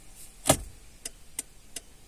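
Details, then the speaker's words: VW Passat B3 turn signal stalk crackles when indicating: one sharp loud crack, then light ticks about every third of a second; poor contact inside the indicator switch, to be repaired or replaced. "this is all happening due to poor contact due to there is a bad contact here"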